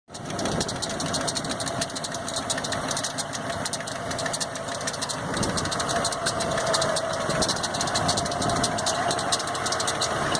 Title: 1990 F150 belt squeal